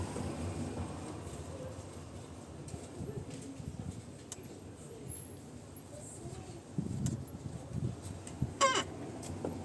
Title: Tormek has a terrible creaking sound. A common problem if you work a lot.